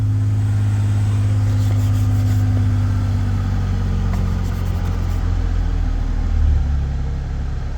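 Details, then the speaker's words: Ford Bronco under restoration, first start after sitting a long while, fresh gas with B12 added: deep even rumble settling into a steady idle with no lifter tap, ticks or stumbles; normal idle. "She really don't sound too bad considering I've been sitting a while. I expected a little bit of lifter tap or something, but really sounds pretty dag good."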